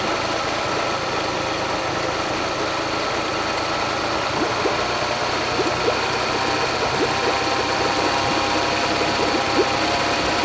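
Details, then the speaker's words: Honda BF40 outboard on a 14 ft boat, after head gasket replacement: idles fine, but accelerating brings uneven stumbling and shaking, like lean fuel starvation; later fixed by cleaning carbs and jets, replacing small O-rings and adjusting. "so what I think is really the way it sounds like that the motor is starving for fuel it sounds okay if or as long as runs in idle uh it doesn't really shake or anything it doesn't feel like it's missing out but as soon I start accelerating um it becomes more inconsistent and um the engine starts shaking more"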